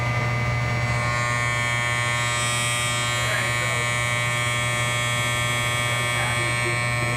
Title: Buzzing sound from electric furnace